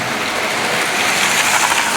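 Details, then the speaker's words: Model railway container wagons rolling: a fast, continuous tinny rattle despite everything being glue-gunned on; the source of the rattle is unknown. "It's that one and that one, they rattle. I don't know why, because I've glued everything on."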